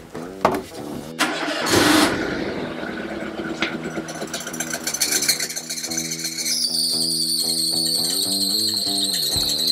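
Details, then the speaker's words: Renault Twingo petrol four-cylinder after oil-leak repairs, valve clearance adjustment and valve stem seal replacement: starts, then idles roughly on three cylinders because cylinder 4 has poor compression, with a separate high squeal on top and a strong petrol smell at the exhaust. "le problème c'est le ralenti il y a un régime pourri elle tourne sur trois pattes il y a le cylindre ici le numéro 4 il a une mauvaise compression et ben du coup il y a que trois cylindres qui fonctionnent sur quatre"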